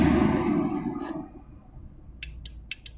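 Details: Honda Supra X 125 R fuel-injected motorcycle that won't crank on the electric starter: four sharp dry clicks with no whirr or cranking after them. The starter relay works, so the starter motor is the suspect.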